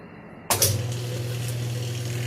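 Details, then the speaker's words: Whirlpool top-load washer on spin after a loose wire connection was fixed: the motor hums steadily but the drum does not spin up; the clutch is suspected of not grabbing. "not spinning so I look in the bottom here she is going on that tells me something the clutch is not grabbing something's going on"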